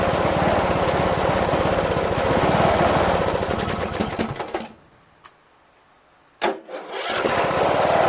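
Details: Rebuilt Briggs & Stratton 17.5HP engine in Yard Machines lawn tractor, after bypassing kill-switch wires on magneto lead, no belt pulley: uneven surging run, dies, sharp pop on restart; owner suspects fuel starvation from carburetor solenoid blocking passage.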